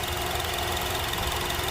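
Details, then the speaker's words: Honda CR-V 2.4L K24 idling after valve clearance adjustment, warm after 10–15 minutes running: even, steady idle with soft hum, slight vibration and no top-end ticking; quiet and healthy, noisy-engine fix confirmed. "vibration, but it's not much. It's just a normal engine running, so it's quiet."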